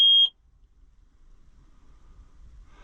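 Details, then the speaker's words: New Holland (Fiat-built) TN75DA tractor: one short, sharp high beep followed by quiet; parking brake warning because the brake was not set. "that's crazy. I'd get tired of that. That would get bypassed. Parking brake warning."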